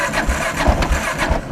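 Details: 2001 Kawasaki KLR 650 with Eagle Mike 685 kit, carb set for original jet, cold after days unused: cranking with choke/enricher gives only weak sputtering thumps and won't keep running; hard cold start, starts with starting fluid, cause unknown.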